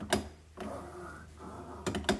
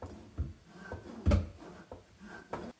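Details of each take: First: Pull-down kitchen faucet after moving the hose weight away from the drain pipe: soft, even sliding rustle of the hose with light clicks, smooth movement with no heavy clunking. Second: Pull-down kitchen faucet in a single sink, with garbage disposal and RO tank under it. Dull irregular clunks as the hose moves and its counterweight hits the drain pipe, causing the hose to stick and not retract; the fix is zip ties.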